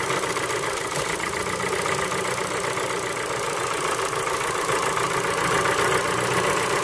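Cold idle carries a fast, loose tapping of roughly three to four knocks a second over a steady engine hum, a cold-start knock of unknown origin.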